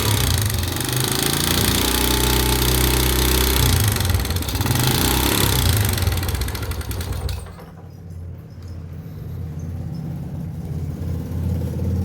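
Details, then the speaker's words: Honda GN5 single, running and revving: coarse, fast tapping clatter from the top end over the exhaust beat. The noise persisted after an engine rebuild and cam chain replacement; cause is worn rocker arm shaft bores in the head. "Ini keluhannya itu suara kasar."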